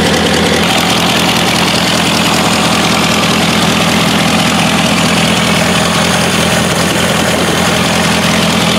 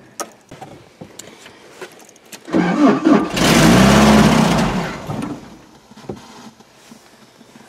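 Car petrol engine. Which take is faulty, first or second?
second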